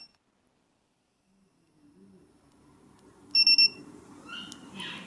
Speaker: one beep every 3 seconds in 30 seconds we should get no movement detected in 30 seconds the alarm will go off